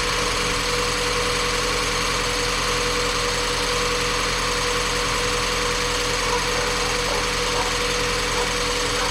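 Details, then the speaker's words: Mazda Miata, first run after replacing the timing belt, valve seals, water pump, pulleys and serpentine belts: a steady smooth idle with no knocks, ticks or stumbles. Not yet fully warm; coolant still needs bleeding. "this thing ran perfect it wasn't quite enough time for it to get hot i want to make sure it restarts"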